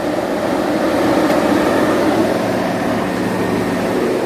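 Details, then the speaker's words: 15-inch Silverado PWM radiator fan in a BurnDown/Warr Performance shroud at 95% duty cycle, effectively max: loud, steady rush of air with a faint fixed hum, no rattles or rubbing; healthy full-speed running, about 2200–2300 CFM centre and 1200 at the edges. "You can already hear how much louder. We're instantly jumping up 22, 23, 21, 2, 23."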